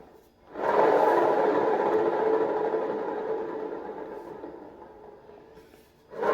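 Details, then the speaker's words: Whirlpool long-shaft washer transmission leaking water past its seal: loud, harsh grinding roar on spin, fading as the drum slows, from dried, damp-damaged upper and lower bearings, before bearing replacement. "la manera de identificar ya cuando una transmisión está dañada es porque al momento de que gira hará un fuerte ruido al momento de exprimir ya que los baleros se resecan por la humedad y el ruido es como el que les muestro"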